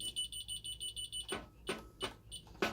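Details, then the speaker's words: Ademco 6128 alarm keypad with no modules installed, showing check troubles 94, 08 and 12: about ten rapid, even high-pitched chirps, then a few dull key presses as the keypad sounds its trouble warning before being silenced. "And any minute here, this thing, I believe, should start beeping at me. There we go."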